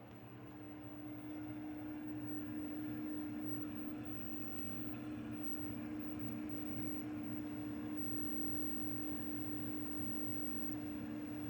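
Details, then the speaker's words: Apevia Venus 500 W power supply, removed after about 4 years in service, recorded close up: steady buzzing hum with a strong low tone and slight rough pulsing from its failing 120 mm fan, which was then replaced. "It's got a bad fan. And it's not that bad now, but if you install it in a machine, it's actually really, really bad."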